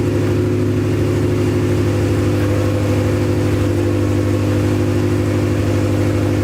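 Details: Acura Integra first start after crank, no-start troubleshooting: runs strong and even at raised revs with a steady drone, no misses; run only briefly, no coolant in system.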